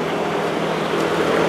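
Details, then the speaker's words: Residential AC unit with no cooling; only a steady airy fan whoosh with no deeper compressor hum; compressor not running, in thermal overload; capacitor suspected, then found bad; evaporator coil also leaking. "I can hear the fan the Fan's running but the compressor is not not running so we might just have a capacitor out"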